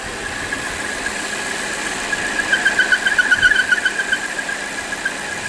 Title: This Volvo XC60 has a squealing noise, and I found that the PCV is defective. #automobile #VolvoXC60